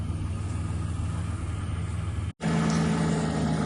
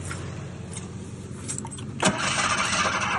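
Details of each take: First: 1986 Ford Ranger XLT SuperCab 4x4, abandoned 16 years, running on varnish-smelling old gas from the front tank: even, steady low rumble at idle with no stumbles or knocks; idles smoothly. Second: 1986 Ford Ranger XLT SuperCab 4x4, fuel injected, abandoned 16 years: spark present, ether used, starter churns about three beats a second with one brief flare, then nothing; fuel drained from the rails through a leaking pump.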